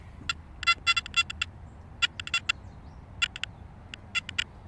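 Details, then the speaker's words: Makro Multi Kruzer metal detector in 4-tone mode, coil held still, sound from speaker: over a quiet hiss, sharp high chirps burst in irregular clusters every second or so; constant false chirping because the machine is running too hot. "Otherwise you get that constant chirping and it's enough to drive you mad."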